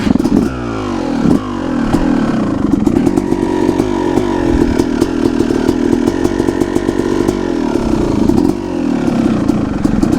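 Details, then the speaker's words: 2003 Yamaha YZ250 two-stroke, carbureted, kickstarted cold with choke on after four throttle blips: crisp, raspy single-cylinder idle held slightly high and steady by the choke while warming; normal cold fast idle. "the choke keeps the idle a little bit higher. I got to tweak with my idle a little bit."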